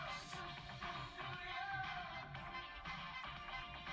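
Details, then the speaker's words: Kriesler 11-81 valve radio from about 1958, fully recapped, on variac and dim bulb: music plays clearly, very quiet with no mains hum or crackle; healthy after repair. "so we better turn this off or change the station it's very quiet no hum at all"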